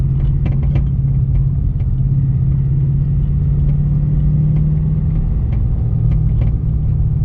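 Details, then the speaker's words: Ford Mustang with air struts, driving after hitting a large freeway pothole: over road rumble, sharp irregular metal-to-metal knocks from the rear passenger suspension over bumps; owner suspected the air strut shock mount or worse, and found a broken rear shock mount. "basically long story short I'm getting a weird hard metal-to-metal knock coming from the rear passenger suspension like I mentioned earlier we're thinking it's probably something to do with either a broken shock mount"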